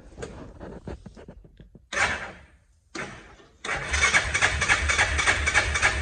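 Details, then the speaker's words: Hisun 550 UTV after replacing the clogged fuel injector and adding a 30-micron fuel filter, previously losing power and stalling: short crank, catches cleanly and settles into a steady, even idle with a regular pulse; running healthy. "well everybody get that off there you can already it already sounds way better but they had all that uh pb and stuff in it while i scrolled it out is this sounding better idling a lot better"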